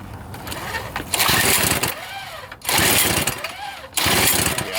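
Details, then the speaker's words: Toro two-stroke snowblower, suspected low compression and a fouled, wet plug, running after a plug change: revs swell and sag about every second with lower RPM, never holding steady; the engine is surging and about to stall. "foreign up fellas you hear it something's not right notice that the RPM was lower we'll just see you again she don't feel well"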